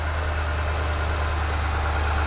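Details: Normal idle of a 2009 BMW E70 X5 with N62B48 4.8L V8 (oil burner): smooth, even low hum with no chirp or squeal; belt drive quiet, earlier accessory noise traced to a loosened stock pulley tensioner.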